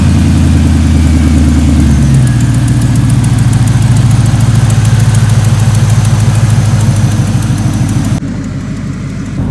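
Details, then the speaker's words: 1988 Chevy Caprice jump-started after an electrical wire fire was repaired and a new belt fitted: engine catches and settles into a steady, even idle with a smooth low rumble, no misses; normal idle. "no fire it's running we're happy"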